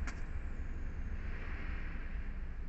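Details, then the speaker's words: 2013 Kia Picanto with clutch work done (clutch lever adaptor removed), engine idling in a closed cabin while the clutch is pressed. Steady idle with no noise at all, unlike the earlier noise; normal clutch engagement. "nggak ada bunyinya sama sekali"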